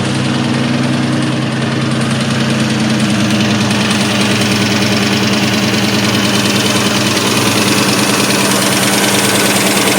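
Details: 2003 SVT Cobra at idle: hollow, fairly regular knock about three times a second; piston slap from badly scored pistons.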